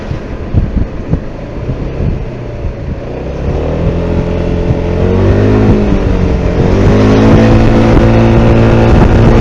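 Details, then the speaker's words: Maxsym 400 scooter tested on rough ground for a metallic rear-suspension knock the owner suspected in the final drive reduction gear play; pulls away with a smooth rising drone, no knocking, rear drive sounds normal. "да все друзья никакого стука нет все просто превосходно"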